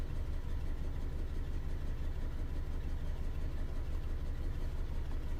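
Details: 2011 Ford Ka 1.2 with lumpy, uneven idle and a low stumbling thump about three times a second; engine misfiring, scan showed P0203.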